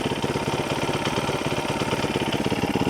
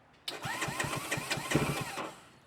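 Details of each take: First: ZS212 4-valve engine in 2025 Boom Vader BD125-10 Grom clone, after swapping knockoff Keihin for Nibbi PE28 carb, cold, no choke, idle set around 2,000 rpm: quick, even putter with no misses, surging or hissing; running smoothly. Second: 212cc engine on Honda Grom clone just fitted with Nibbi PE28 carburetor, choke on: starter churns in quick even pulses, about six a second, for under two seconds without firing because the carb float bowl is still empty.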